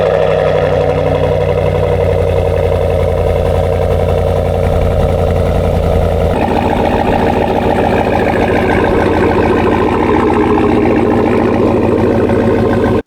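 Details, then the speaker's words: 2021 GMC Sierra AT4, 6.2L L87 V8 with S&B cold air intake and Borla S-Type exhaust, about 1,000 km on fresh Mobil 1 0W40, before the intake swap: deep, even rumble, idle stepping down and settling after a few seconds; normal idle. "Before we pull this inside and do the intake swap, let's start it one last time with the S&B cold air intake and my Borla S-Type exhaust so we can compare the audio notes from now until later."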